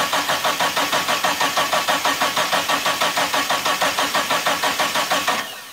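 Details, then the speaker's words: Mitsubishi Eclipse GST, not run for almost 9 years, first start attempt: steady cranking about three strokes a second for over five seconds with no firing; no fuel pump prime heard, fuel pump or its wiring suspected. "so right off the bat uh i don't hear the fuel pump priming um i'm gonna have to check the wiring on that before i i would hear it wind up real loud"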